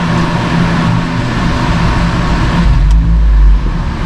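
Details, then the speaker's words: 2023 Subaru WRX (VB) with ETS catted J-pipe, first start after Cobb Stage 2 tune flash and ECU reset: starter churns a bit longer than usual before catching, a slightly long crank that is normal after an ECU reset. "A little bit of a long crank, which is normal after you reset the ECU."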